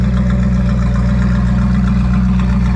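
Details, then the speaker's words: 1968 Ford Mustang fastback factory test car with a 428 CI V8 and automatic transmission, owned since new, started with the hood open: a deep, even rumble with a steady low beat and no knocks or misses; a smooth idle. "Let's listen to how that sounds. Oh, that is smooth."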